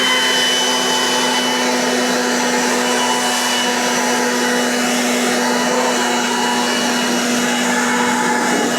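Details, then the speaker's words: Battery blower clearing snow off a Kioti DK6020 tractor that sat outside in the cold: a steady high blower whine with a rough bearing hum and weak airflow. Tight bearings from the cold are suspected; the batteries are good. "The battery. I can hear the uh bearings in this thing. I can tell that it's not not blowing with as much force as it normally does. Probably the bearings are a little tight."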